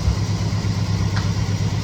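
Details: 1969 Chevelle SS big block, sat 37 years, running rough: deep V8 idle with a lumpy, uneven beat as one cylinder keeps dropping out. Pyrometer exhaust checks show one cylinder coolest. Misfire cause unconfirmed.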